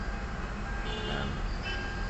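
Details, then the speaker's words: Kia Soul gasoline engine hard starting after sitting for hours, blamed on the fuel pump letting fuel drain back: long steady cranking drone before it fires; hard start from fuel drain-back. "So ito guys ah nagiging hard starting y so tingnan natin so nag-cr siya Medyo Ah matagal bago tumuloy yung"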